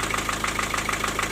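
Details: Four-cylinder diesel at idle: sharp, regular knock about six or seven per second. It was caused by a loose piston in cylinder four with almost 1 mm of play. The block needs boring. Injectors were ruled out and valve clearances were roughly normal.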